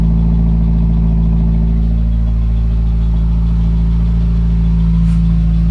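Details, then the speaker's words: 2017 Subaru WRX cold start: deep idle with a stumble about three times a second, misfire count hitting 100 repeatedly, code P0303 cylinder 3 misfire. Plugs 1 and 3 replaced, oil on cylinder 3 plug; owner suspects internal engine problem. "Misfire related. Cylinder misfire detected."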